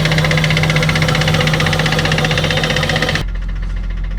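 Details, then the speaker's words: Abandoned Nissan R34 Skyline, 149,000 km, after fuel system cleaning and repairs: quick, even pulsing idle holding steady with no exhaust popping or stumbles; smooth, healthy tickover. "look how smooth we got the car idling now. Like the car is idling so smooth, and even the exhaust. Like there's no popping from the exhaust either."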